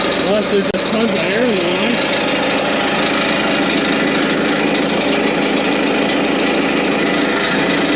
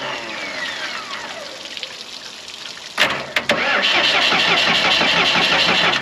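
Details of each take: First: Morbark 2400XL track chipper's 4BT diesel idling with the hydraulics not yet working: a steady, even clatter at constant pitch with no misses or knocks; it idles smoothly. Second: Morbark 2400XL track chipper's 4BT diesel, bought at auction sight unseen, cranked with battery jumped to ignition: the starter spins evenly, about three turns a second, and it never catches; no fuel at a cracked injector line.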